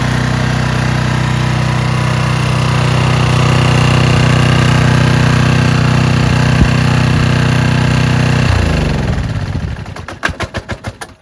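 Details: Curbside-find Craftsman/Troy-Bilt pressure washer, fixed by carburetor cleaning and tested with a Ryobi gun: the small engine holds a steady, even drone under spraying load, then winds down and stops cleanly. Normal running.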